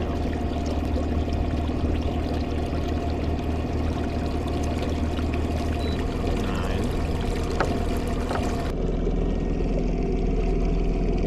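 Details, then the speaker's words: Minn Kota Riptide Terrova 24V 80 lb thrust trolling motor, under a year old, on a 20-ft aluminum boat at top speed: steady low drone with uneven buzzing and rattle; shaft vibrating noticeably. "And this isn't vibrating, it's here. The shaft is vibrating."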